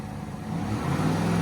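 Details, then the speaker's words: Drift car after tightening three loose spark plugs to cure a slight misfire, solid-mounted engine: even idle, then clean rises with light revs, no stumble or miss; smooth, shaking a bit from the solid mounts. Oil pressure seems high. "smooth [Music] yeah it sounds alright probably just call it solid mount and it's shaking a bit"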